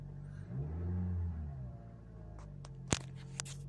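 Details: Toyota Auris with P2118 throttle actuator and C1201 engine control codes and a weak battery. After a fuse replacement fixed it, the engine blips up cleanly and drops back to idle, followed by a few nearby clicks.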